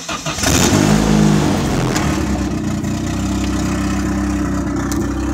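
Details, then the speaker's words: Turbo engine with blow-off valve JB-welded to the intercooler, venting metered air: starts, blips, then settles to a lumpy uneven idle; owner suspects high vacuum holding the BOV open at idle, lost metered air causing the rough idle. "it just messes with my idle because uh it's pulling a lot of vac"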